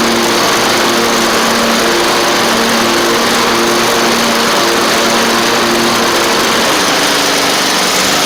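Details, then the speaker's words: Toro Z2550 zero-turn running with blades engaged under load while not charging the battery: steady, even buzz, no misses, knocks or surging; running normally. Suspected cause of no charge is flywheel magnets, possibly the voltage regulator. "so that's really really good so blades work drive Works engine runs"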